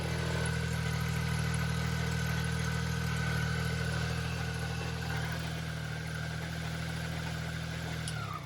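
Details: Started after sitting about 6 months. Smooth, even idle with a steady low drone and no knocks or misses before shutdown; sounds good.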